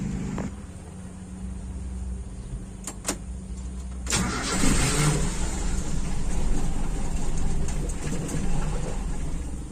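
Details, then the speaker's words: Toyota Kijang Super 5K with original Aisan carburetor fitted with FMT jets, fed from a 2-litre jerrycan hose for a fuel test; long cranking about four beats a second to purge air, then catches and runs rough with revving: prolonged cranking. "nanti kita hidupkan pasti agak lama benar-benar harus sampai hilang udaranya"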